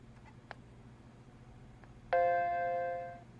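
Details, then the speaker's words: Macintosh LC first power-up after logic board re-cap and ultrasonic cleaning, audio wire disconnected so chime heard via microphone: faint clicks then single clean chord fading over about a second; healthy startup chime. "Also, I disconnected that audio wire, so if it chimes, we'll hear it over the microphone."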